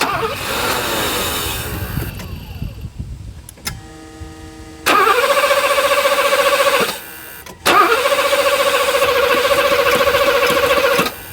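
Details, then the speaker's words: 1984 Mercedes 500 SEL pre-merger AMG after sitting 27 years, mechanical fuel injection: even starter cranking in two long bursts with no firing; residual fuel pressure but no actual fuel flow reaching the injectors. "we're not getting any actual fuel to the injector even though we had some residual fuel pressure there we're not really getting any fuel flow"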